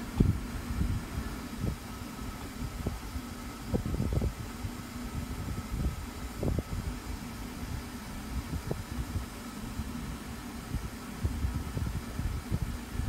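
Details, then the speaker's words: Freshly cleaned Duracraft pedestal fan on high speed: soft, steady rush of air with no rattle or ticking, a few background thumps; quiet on high, normal running. "so when that shuts off of you guys I'll show you guys what I mean that this F's pretty silent on a high speed"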